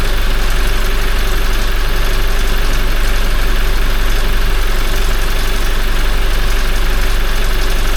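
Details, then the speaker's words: Toyota 1GD-FTV diesel, 40,920 km, first start after an oil change to Ravenol and a new filter: fast, even timing chain clatter about three per second while the oil system is empty; owner thinks it stopped once the hydraulic tensioner filled. "Сначала затрещал, потому что система пустая была. Потом прекратился резко. Только заполнился, видимо, этот гидронатяжитель натянулся."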